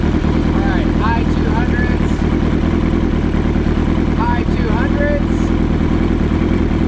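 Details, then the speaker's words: Hayabusa-engine-swapped Can-Am X3 at steady idle after swapping injectors 1 and 2 and coil packs 1 and 3: rapid deep exhaust pulses with an uneven, stumbling beat. The misfire followed the swapped injector, pointing to a faulty injector. "So that means whatever we did with one and two is wrong injector. Looks like we need injectors again."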